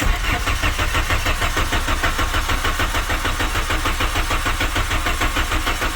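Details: 1997 VW Vento 1.8 automatic after replacing vacuum lines: steady even starter cranking about three turns a second that never fires; fuel drain-back or coil now suspected. Cranks but no start.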